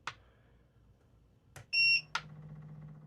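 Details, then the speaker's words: 12V rooftop RV air conditioner on a Renogy 300Ah LiFePO4 battery drained to 11.03 V, showing code EL and red battery light: one clear high beep as it restarts after low-voltage shutdown; it ran about 2 more minutes, then died completely. "After that got that code, it had the red battery light on it. I turned it back on. It ran for like another maybe 2 minutes and it just shut off again and now it's completely 100% dead."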